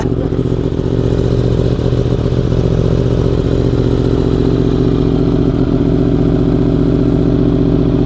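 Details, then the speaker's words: 2015 Yamaha R1M four-cylinder, previously running on about 3.5 cylinders, after new spark plugs, cleaned air filter and fresh fuel: even, steady idle with no misses, knocks or hunting, no smoke, no stalling; compression good, engine healthy. "Yeah, so I think it sounds good. Prove that the engine is not blown."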